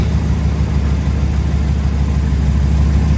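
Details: 2011 Ram 1500 5.7 Hemi 4x4 idling after crank-no-start temporarily fixed around the failed fuel pump relay: steady, even low rumble, no knocks, misses or surges; normal idle.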